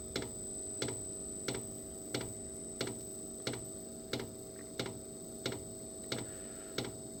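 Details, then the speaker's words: Diesel heater after running out of fuel (E08) and refilling, cold room, on lithium battery: sharp even fuel-pump ticks about 1.5 per second over faint hum; burner fired then quit. Owner suspects glow plug not warm, cold diesel, air in line. "I think it stopped firing, so I think the glow plug still needs to warm up. Sure, the diesel is cold going into the chamber."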